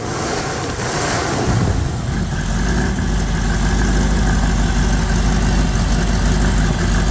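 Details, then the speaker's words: Tow truck idling after new coolant and intake air temperature sensors: deep, lumpy, stumbling idle with no steady beat, black smoke, engine shaking; running rich from corroded engine control module circuitry. "Yeah, still not perfect. Still running rich."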